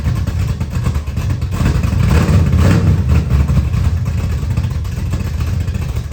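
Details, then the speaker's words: 1979 Camaro with a 355 V8 just reinstalled, restart: loud, lumpy, uneven beat that hunts a little. Timing read 20 degrees with a backfire earlier; air-fuel ratio about 22.5:1, dead lean mixture, carburetor needs richening. "Hell yeah. It's dead lean. It's like 22 and a half to 1. What? It's dead lean."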